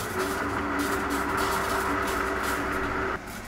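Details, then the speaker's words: Newly installed Grundfos SCALA2 home booster pump station: steady pump whine with rough gurgling hiss of water carrying air bubbles, cutting off abruptly near the end; air still purging from the lines after installation. "Вот надо выпустить весь воздух, когда он наконец-то начнёт в себя приходить. Потому что слышно, поне она там с пузырьками."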